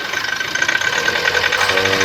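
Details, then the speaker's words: GWM Cannon diesel, a fairly new unit that would not start because the fuel pump gave no fuel supply; after fitting a replacement pump and bleeding, it catches partway through and settles into a steady, even idle with no misfire or knock. "na guys umandar na so okay na guys"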